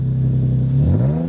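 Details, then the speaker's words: Nissan 350Z, 287 hp, about 97,000 miles, engine untouched but owner-modified louder exhaust: deep even V6 drone that dips then climbs smoothly with throttle, no knocks or rattles; normal engine revving. "And as I mentioned previously, he's messed with the exhaust so it's louder."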